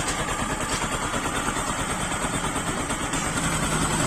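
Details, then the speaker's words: Bajaj Pulsar 135 LS after full engine rebuild, first start, idle tuned lower: steady, even single-cylinder putter with no knocks or rattles; healthy idle. "तो friends जैसे कि देख पा रहे हो engine का जो क्वालिटी आया, साउंड का क्वालिटी काफी अच्छा आया, काफी बेहतर आया हुआ है।"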